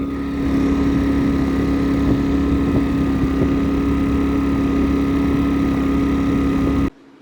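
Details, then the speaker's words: Pulsar inverter generator after repair: small engine running at steady even speed, constant hum, no surging. Surging was caused by a bad carburetor paper gasket letting in extra air; fixed by cleaning the carb. "But as you guys seen in that video, it sounds great, perfect, no surging."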